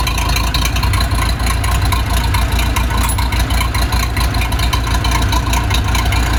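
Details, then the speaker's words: Case 207D (450) dozer diesel after a year-long engine rebuild, reinstalled and reassembled, fitted with a muffler so much quieter: steady, even chug around 2.5 beats per second, low muffled tone, no knocking; healthy idle. "put a muffler on it by the way so it's much quieter"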